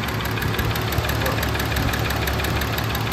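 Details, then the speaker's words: VW Jetta VR6, straight-piped, first start-up: fast light ticking over a loud, slightly uneven idle, owner unsure if it needs checking; hydraulic lifter tick from oil starvation at startup, expected to quieten. "I know Volkswagens are a little noisy but I'm not sure about this movie and especially on the VR6 I I know more of like diesel cars have that thick"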